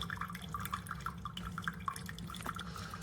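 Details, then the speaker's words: Chefman single-serve K-Cup coffee maker with 40-ounce reservoir, brewing: soft irregular drips and light gurgling over a low hum, no rattles or strain; quieter than a Mr. Coffee, normal. "It's quiet. It's actually quieter than this one. It's quieter than the Mr. Coffee, so that's good."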